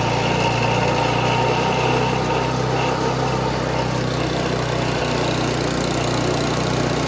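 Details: Noma/Murray Snow King 27" dual-stage snowblower, 9HP Tecumseh, after HIPA carburetor swap, checked while testing forward and reverse drive: a fast, steady run at full throttle with no misses, knocks or surging. Normal running; the owner finds top speed too high.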